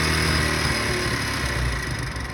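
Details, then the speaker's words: Honda motorcycle after carburetor tuning, fuel and idle adjusters seated fully then fuel screw opened 3.5 turns: engine drops from light rev to a slow, steady idle without stumbling; carburetor set right, normal idle. "अभी यहाँ पे देखें, इसकी बेहतरीन सेटिंग हो गई है। बिल्कुल स्लो खड़ा हुआ है बाइक।"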